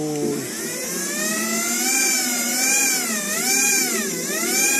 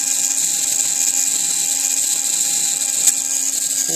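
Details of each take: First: TXT1 gearbox with a part removed: smooth high-pitched whine rising and dipping with motor speed, no clicking, knocking or grinding; no problem at all. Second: TXT1 gearbox, gear noise from pinion mesh: constant high-pitched whine over faint lower hum; owner thinks pinion backlash is about right but will try adjusting it, cause unconfirmed.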